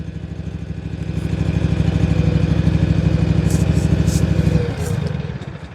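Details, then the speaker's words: John Deere 757 Z-Trak zero-turn mower after new starter, choke off: engine thrums steady a few seconds then sags and dies; fuel starvation from a kinked fuel line inside the tank. "She just cut off again. All right, I didn't do anything. Let's try to get her run again. So there, she's dying on me. Now it sounds like she's running out of gas."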